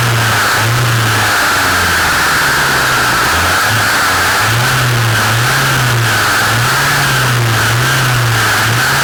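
Small two-stroke runs at a wavering speed with a loud, hard-edged whirr over it; abnormal shaft-area noise, cause not identifiable.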